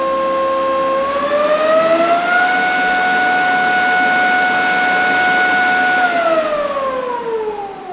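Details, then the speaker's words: Nova Voyager DVR 58000 drill press spindle at its 5500 RPM top speed: smooth, steady whine climbs, holds flat, then falls away; loud but no wobble or rattle, well balanced, motor healthy. "5500 so 5500 RPM is pretty darn fast for a drill press so yes it is loud but most drill presses are not going to be that well balanced to get all the way up to 5,500 RPM"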